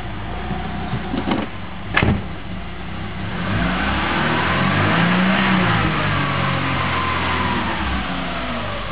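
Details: 1998 Subaru Forester, first miles on morning start, idling in heavy traffic after about 1 mile; idle slowly surges up and sags, never settles; apparently fixed by cleaning idle air control valve, MAF sensor and throttle body, lubricating accelerator cable.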